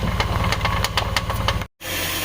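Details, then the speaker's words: Chevy Express van running: quick, steady knocking ticks, several per second like a quacking clatter; caused by a worn cooling fan clutch, fixed by replacing it. "that's your problem right here I need a new clutch fan no more quack quack quack all right so this is the part number for the part that was making the knocking noise the fan clutch"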